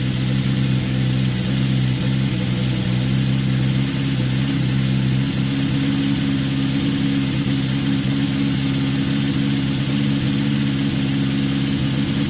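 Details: Yamaha XJ550 just restarted after carb work, on choke: steady, even fast idle with a smooth low drone and no knocks or misses, sounding as good as before; idle still to be adjusted.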